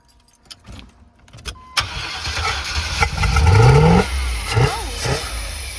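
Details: Van that would not start, owner suspects a failing fuel pump (6.5 mpg): a few scattered taps, then the engine catches and revs roughly and unevenly with no air filter fitted; owner suspects a hose leak, cause not confirmed.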